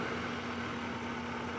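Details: 2003 Lincoln Town Car 4.6 V8, code P0300, misfire on cylinders 2, 4 and 8 after intake work: rough, stumbling idle with dead cylinders and heavy shaking, caused by loose injector connections; runs well once corrected.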